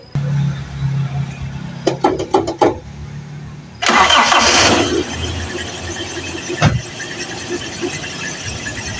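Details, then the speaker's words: Carbureted Toyota Kijang started after sitting a long time, radiator water and oil checked, gas pumped two or three times first: several quick cranking chugs, then catches within seconds into an even idle; normal start. "masih luar biasa tetap langsung hiu ya tapi harus dengan kocokan gas ya karena ini masih karburator harus dipancing dulu dengan kocokan gas se dua atau tiga kali"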